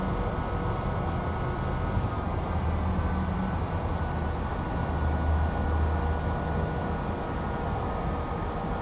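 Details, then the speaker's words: 2006 Mercedes-Benz R350 after replacing the rear right air suspension bag: steady compressor hum over low engine idle as the sagging side slowly rises, with no hissing or air leaks heard; normal inflation. "Now that we turned it on, it should be filling up with air. You guys can see there, it's slowly raising"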